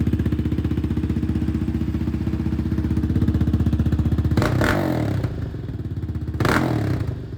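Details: 2020 Yamaha Raptor 700R SE quad after fuel pump replacement; a blown fuse was also suspected in the no-start. Crisp, even single-cylinder thumping at idle, about four beats a second, with two clean throttle blips; running normally.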